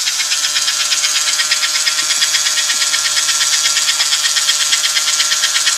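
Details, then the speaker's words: American Flyer #326 Hudson toy train locomotive from about 1954 during restoration, after checking side rods for binding: steady, even high-pitched buzz with no catches or hesitation; motor at full speed, running gear turning freely. "When you hear that buzz, that means an engine is moving as fast as it can, and everything's free, and it's doing what it's created to do."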